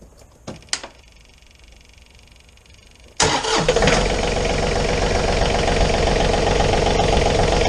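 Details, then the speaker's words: John Deere 3520 tractor diesel started right after an oil change with John Deere 1540 oil: starter cranks briefly, catches at once, settles into steady even idle clatter; oil pressure light goes out; normal start and idle. "Alright, the oil pressure light in the dash just went out."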